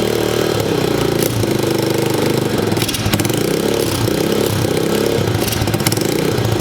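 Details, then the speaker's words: Chinese pit bike single-cylinder with replica Mikuni carb and no air filter, cold, choke partly on: stumbles and falls on its face when revved, revs a little on part throttle, faint exhaust leak; carb suspected clogged, not confirmed. "You can hear a little bit of an exhaust leak too. But as soon as I go to rev it, you can hear it fall on its face. If you give it part throttle, it'll rev up a little bit. So it does run, but not great."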